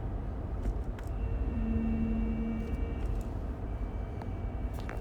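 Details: 2017 Toyota Highlander with UA80F 8-speed automatic: thin steady whine that comes and goes over road rumble while driving, present across several gears and ranges; owner suspects the final drive, not confirmed.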